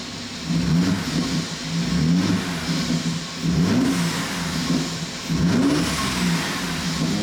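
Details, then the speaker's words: Mercedes-Benz W205 C450 AMG, M276 V6, revved from inside the car while warming up following cooling and wiring repairs; engine picks up cleanly through quick blips and falls back to steady idle; normal revving. "wow did you hear that m276 engine raw it it runs fantastic"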